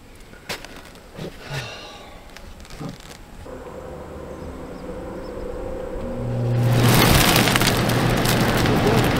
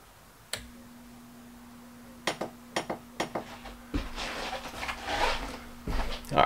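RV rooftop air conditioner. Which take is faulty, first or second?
second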